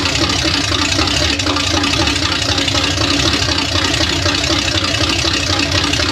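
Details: $300 Small Block Chevy 350 V8 first run on a DIY engine run stand: a loud, choppy, lopey idle around eighty beats a minute, steady and clean. It sounds like it has a cam, fans and radiator work, and the owner suspects no thermostat.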